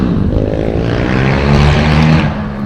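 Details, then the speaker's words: Honda Trail 70 CT70 K0 after swapping the 140cc engine for a 212cc engine, accelerating hard in second gear and lifting the front wheel: a deep, throaty exhaust climbs strongly and eases off, pulling cleanly with no misfire or knock. "yeah he got he got the front wheel off the ground second gear woo sounds like a"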